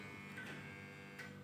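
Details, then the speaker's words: Aging fluorescent tube with blackened ends makes a faint hum and two sharp starter clicks about a second apart before catching. This is hard starting from a worn tube, whereas a healthy tube lights quickly and silently. "ครับก่อนสตาร์ททุกครั้งจะมีเสียงแล้วก็สตาร์ทยากนะครับผม"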